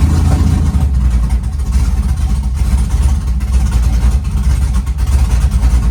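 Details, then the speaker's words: Chevy truck V8, warmed up and revved while filling fuel table without driving: deep uneven rumble with slight hunting as it settles from revs; fuel trims show it running really lean, needs fuel added back. "Well, that ain't good. So, we're actually really lean now, huh?"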